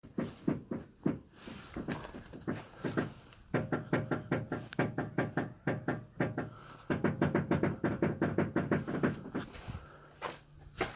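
Rapid bursts of dry knocks and clicks come from the steering, with a low hum beneath.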